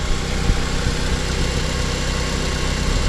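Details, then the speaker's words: 2010 Mazda 5 started after sitting about a year, run to charge the battery: steady, even low rumble with no misses, knocks, ticks or smoke; normal idle. "Engine sounds good so far. Nothing seems to be smoking or anything like that."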